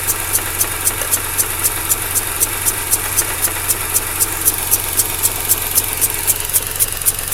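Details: 2004 Mazda RX8 rotary, 110,000 km, idle: uneven, with regular hissing suction pulse about four a second (240/min) from behind upper intake manifold, plus SSV ticking; power loss; plugs, wires, coils ruled out.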